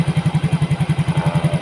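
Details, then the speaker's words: Yamaha Mio GT injected scooter, earlier hard-starting and stalling at idle, now with new injector, CO trim 7%, O2 sensor 0.49 V, idle control 19.0%, 1300 rpm. Even, steady single-cylinder thump, no misses or hunting; normal idle. "Jadi responnya sudah enak, motornya stasionernya tidak matian, hidupnya pun enak juga ya."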